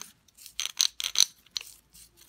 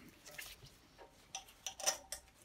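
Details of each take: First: Btwin Hoprider 300 seven-speed bicycle rear wheel, spun by hand: sparse, uneven, gritty metallic clicks with gaps as the pawls catch late; freewheel engages eventually but sounds rough. Worn freewheel bearings; freewheel later replaced. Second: Btwin Hoprider 300 bicycle rear wheel after replacing freewheel, cone and ball bearings: light crisp ticks in short irregular runs as the wheel turns, no grinding or rubbing; freewheel healthy.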